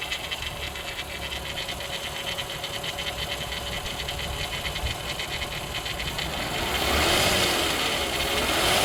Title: VW Bora V6 4motion 2001 engine noise problem?